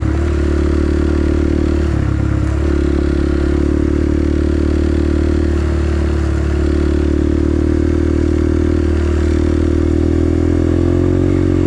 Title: Guys I can’t figure out this ticking noise got any cheap suggestions #automobile #motorbike #getview